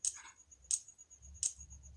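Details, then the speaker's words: UC384x-series controlled SMPS module: sharp high chirps about every 0.7 seconds, output voltage fluctuating; the IC needs about 13 mA which the SMPS auxiliary supply cannot provide, so it keeps restarting; fix is a separate supply coil. "और ये आवाज़ सुन रहे हो, चिक चिक करके आवाज़ हो रहा है, ये सही तरह से काम नहीं कर रहा है ये मॉड्यूल, क्योंकि इसमें जो आईसी है इसका एम्पियर कंजम्पशन बहुत ज़्यादा है।"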